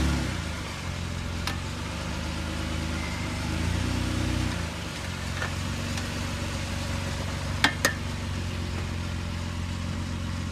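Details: Steady low idle with a few sharp, irregular pops cutting through; source of the popping not pinned down.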